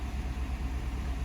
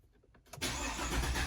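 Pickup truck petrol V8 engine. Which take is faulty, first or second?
second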